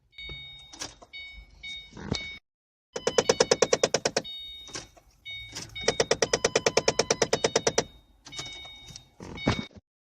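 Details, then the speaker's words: 2008 Ford Mustang at key-on: bursts of fast, sharp popping from the dash alongside chimes, caused by a faulty HVAC blend door actuator behind the glove box, Ford part YH-1869. "Is your '08 Ford Mustang doing this when you turn the key on? Making a popping sound in the dash."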